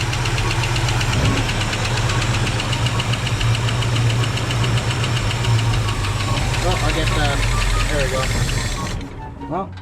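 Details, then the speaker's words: 1965 Ford Mustang barn find V8, first start after brakes bled: rough idle with a light quick tick about four times a second before stalling; owner suspects lifter noise on one side, hopes oil will quiet it, little smoke. "a little bit of lifter going not really any smoke not liking that lifter noise but maybe it'll calm"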